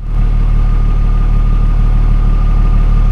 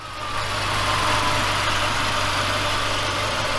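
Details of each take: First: 2003 BMW E39 5 Series, no head gasket fault found, idling after misfire repair including a new gasket: fuel trims back to normal, smooth even idle with no stumble, tick or hiss. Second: 2003 BMW 5 Series E39, first start after sitting 3 years: steady idle with a faint, uneven stumble, no startup rattles or smoke; misfire, later diagnosed through fuel trims and smoke testing.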